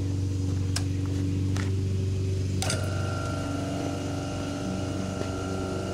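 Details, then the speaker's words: Baldor 1/3 HP single-phase induction motor, 48Z frame, 115/230 V, 1725 RPM, 60 Hz, service factor 1.35, running unloaded after switch-on: steady low hum with a faint even whine, no knocks or rubbing; running smooth and quiet. "this is a baldor induction motor single phase with a service factor of 1.35 i want to turn it on and show you how it works"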